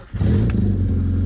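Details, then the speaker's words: Mazda MX5 Miata Mk2 with a faulty flat battery, started using a jump pack: catches at once and settles into a steady, even idle with no misfire; normal start and idle. "starts perfectly fine"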